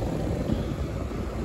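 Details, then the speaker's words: 4-ton 48,000 BTU R-410A residential AC condenser (built June 2011), after replacing a burnt dual capacitor, running without the hard start kit at 15.2–15.3 A: smooth, constant low whoosh and hum, no buzzing or chatter; normal running. "We're running without the hard start. Look at that, ladies and gentlemen."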